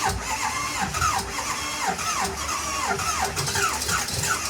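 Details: Slow, uneven cranking with irregular catching beats that never settle into a run. Hard start, won't keep running; low compression suspected, possibly an injector.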